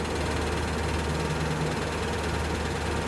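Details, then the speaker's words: 2003 Ford E-250 cargo van V8 cold start at idle: light quick ticking under steady low rumble, heard from the wheel wells; owner suspects exhaust manifold leak at the engine connection (broken or rotted studs or cracked manifold), not confirmed. "there's something that you might happen to notice especially when the engine's cold not when the engine's warmed up is a ticking noise the ticking noise is going to come from the manifold area where it connects to the engine"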